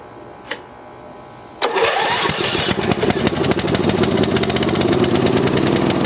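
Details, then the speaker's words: Snapper rear-engine rider with 12 hp Briggs & Stratton and new metal ring gear: cranks and catches, then fast uneven spitting beat with crackle as oil-soaked muffler burns off; occasional miss, owner suspects wrong magneto. "that muffler is just full of oil i'll let it run for a little while and see if it'll burn all that stuff off still burning a little bit and it does miss every every now and then"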